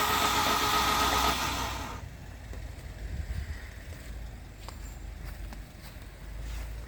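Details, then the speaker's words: Turbo Honda Civic D15 engine cranked by hand with plugs out after failure: loud wet hissing rush then quieter clicks as coolant blows from all cylinders; hydrolocked, head gasket pushed out and a sleeve cracked. "Okay, so it definitely hydro-locked. All the sleeves looked like it had coolant in it. It spewed it all over the engine bay now."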